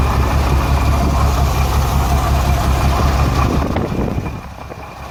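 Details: Renix Jeep Cherokee six-cylinder at idle: steady lope with a dropped beat every cycle; cylinder 6 misfire from an overtightened exhaust valve rocker moving less than the others; backing the bolt off slightly cured the miss.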